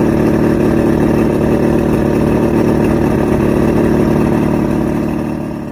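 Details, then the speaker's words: Outboard after a 3-week rough idle, surge and misfire diagnosis, now with all new electronics and everything rebuilt: steady, even engine beat with a smooth, consistent tone, no surging or stumbling; running properly. "I went down the rabbit hole, finally got the engine talking. It was definitely a process."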